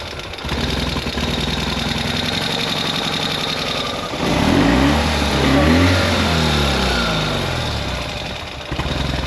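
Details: Ural sidecar twin-cylinder engine after a two-month repair of an engine noise (new gaskets, timing rechecked, valve clearances reset, clutch rod fixed): it settles into an even idle, and throttle blips rise and fall cleanly. Normal healthy running.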